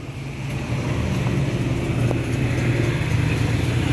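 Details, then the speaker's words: Honda Vario 110 FI, key on: only a steady low hum from the fuel pump, no firing. Total shutdown with no ignition and speedometer and indicators dead, but fuel pump has power; ignition switch wiring suspected. "Tetapi kalau kita dengar di bagian full pumpnya, ini full pumpnya menyala, ada terdengar suara dengung."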